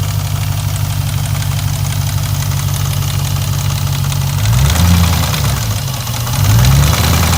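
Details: 2002 Jeep Grand Cherokee 4.7L HO V8 idling with deep knock about four per second, louder on each blip, timing slack noted; oil pan removal found failed rear main bearing and multiple crank rod bearings with play.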